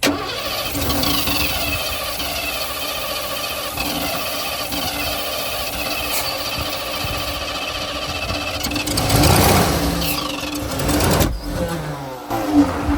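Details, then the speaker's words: 1988 Ford Bronco sitting about 24 years, spark, air and fuel confirmed: long steady cranking that never catches, then a brief rough burst that dies away; hard start, cause not found. "we already confirmed spark air and fuel we were still having a hard time getting the engine to run"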